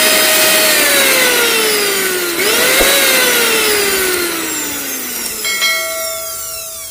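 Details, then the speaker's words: Mixer grinder motor after new brushes fitted: smooth, clean high whine winding down with no rough growl. Before the repair, worn brushes caused a loud growling noise. Normal motor run after repair. "അപ്പൊ നമ്മുടെ മോട്ടോറിന്റെ sound correct ആയിട്ടുണ്ട്"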